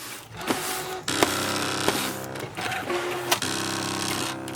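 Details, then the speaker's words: Brother ScanNCut DX cutting heavy crepe paper; motor whirrs in short runs with sharp uneven clicks about every two seconds, blamed on the small black button that always does this. Intermittent clicking while cutting. "Listen to that noise it's making. Holy cow smacks. What is that awful noise? Good God, Gertie. That just sounds awful. It just sounds like everything was exploding inside my machine."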